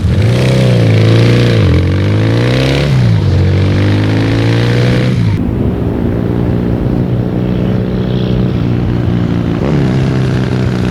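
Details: Yamaha 650 XSD (1977) with swapped-in 1981 electronic-ignition motor, Wassell mufflers and rebuilt '77 carbs; strong, even twin beat with clean rev rises and falls, no knocks or rattles, normal running.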